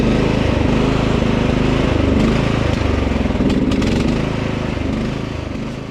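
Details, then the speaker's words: Husqvarna LT 1538 riding mower, Kohler CV15 single-cylinder, idle hunting, rising and sagging; quits after mowing a while; weak battery; dirt found in carburetor, fuel starvation from dirty carb, cleaned. "sounds like a fuel to me now it started hunting"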